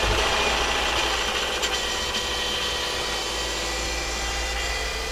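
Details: Subaru Forester after motor replacement (old engine burned oil, low compression in all cylinders), first run: steady even idle under a light hiss, brief initial chatter gone, revs nicely; normal idle.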